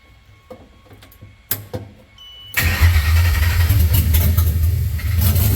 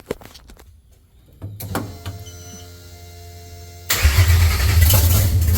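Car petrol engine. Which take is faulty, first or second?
first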